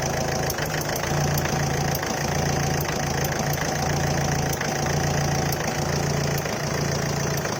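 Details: Ford Figo 1.4 TDCi Duratorq diesel idling cold with sharp irregular static-like ticks about once a second and occasional misfire stumble; vanishes at normal temperature; hiccups under heavy acceleration; no smoke.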